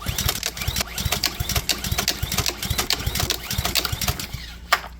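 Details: Pressure-washer small engine that runs only on choke, oil overfilled and smelling of gasoline: repeated pull-cord rasps with brief uneven chuffs that never catch into a steady run, even on choke; cause not confirmed; engine fails to start.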